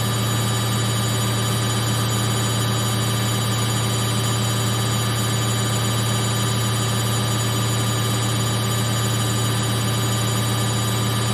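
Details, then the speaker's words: Samsung 8kg Eco Bubble front-load washer, fast spin in last 4 minutes of baby care cycle; smooth constant hum, no thumping or wobble: drum balanced, very stable, no vibration, no noise. "And the machine is running so fast. but it's very stable. No vibration, no noise."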